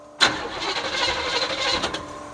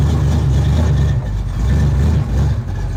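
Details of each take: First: 1972 Chevrolet Chevelle, sat 5 years, fuel dripping from a cracked nut that may suck air: the starter spins with a steady whirring crank but the engine never fires. No fuel reached the carburetor yet; priming planned, cause unconfirmed. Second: 1972 Chevrolet Chevelle V8 revived after 5 years sitting, with a TCI street transmission of about 300 miles: a deep, steady burble with no knocks or misses as it goes into gear and idles smoothly.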